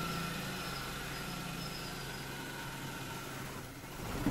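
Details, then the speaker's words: Suzuki Maruti Alto K10 idling: shaky uneven low throb under a steady hiss and thin whine, huge vibration, sometimes stalling; only code U2001 LIN lost communication with generator, diagnosed with an oscilloscope on the LIN bus. "engine was started but badly shaking and hising extraordinary vibration sometimes can't keep it in idand engine stall"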